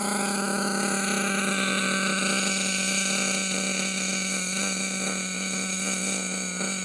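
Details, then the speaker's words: Nitro HPI Savage monster truck two-stroke engine, newly running: a high, buzzy idle that holds too fast and wavers slightly. Idle speed set too high, fixable; shortly after it suddenly took too much fuel. "It's a bit high, but we can sort that out. The fact of the matter is it is running."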